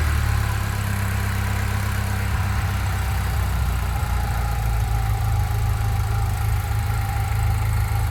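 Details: 1997 BMW E36 318ti, M44B19 engine: idle sits low and uneven with a loping beat about three times a second. Injectors, intake boot, filter, coils, plugs, mounts, exhaust, cam/crank sensors and vacuum hoses were replaced; throttle body, MAF and ICV cleaned; DISA repaired. Cause not found.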